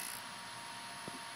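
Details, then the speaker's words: Wii disc drive with the spindle piece pushed over by hand to stop grinding caused by the spindle rubbing its arm: soft steady hiss with a faint high whine, quiet, no grinding. "look at there, nice and quiet."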